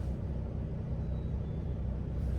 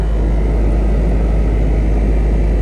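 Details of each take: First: Land Rover Discovery 2 blower motor at low speed, suspected to be full of debris: a soft, even hum with no rattles; fine at low speed, though it resonates at high speed. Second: Land Rover Discovery 2 blower motor, fine on low but at high speed: steady deep droning roar with low throbbing resonance, fading when switched off; owner suspects the blower is filled with leaves and debris.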